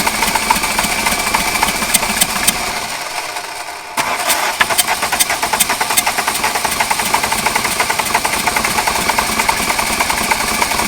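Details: 1989 VW Jetta mk2 diesel, 5-speed, about 118,000 miles, parked since 2006 (about 14 years), running on new fuel and a new battery without starting fluid: clatters into life, dips briefly, then settles to a steady even idle with sharp ticks; normal.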